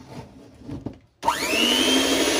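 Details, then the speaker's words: Bolde Super Mix Turbo mixer after motor and gearbox repair, 220 V, beaters fitted, speeds 1–5 and turbo: snaps on to smooth steady high whir, no grinding or rattle; normal motor run. "Nah, normal. Gitu ceritanya."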